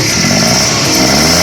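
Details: Short clean rev after misfire repair, engine pulls up smoothly with even note and no stumble; car previously misfired and would not climb hills; running properly now.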